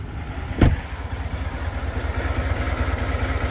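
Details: Cadillac Escalade 6.2L V8, about 45,900 miles, failed while driving at 22°F, oil level fine, no leaks: steady low rhythmic knock pulsing through the idle; engine knocking, cause not identified, awaiting tow to dealer.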